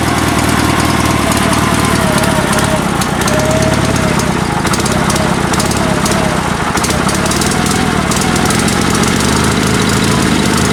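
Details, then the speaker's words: Sears Suburban SS16 garden tractor, twin-cylinder spare engine rebuilt with spare pistons and crankshaft after a broken connecting rod, previously running on one cylinder; even loping Harley-like idle on both cylinders, no misses; some cutting out suspected fuel-related. "so I guess let's let's fire this thing up and I'll show you guys how it runs it sounds great it almost sounds like a Harley surprise surprise"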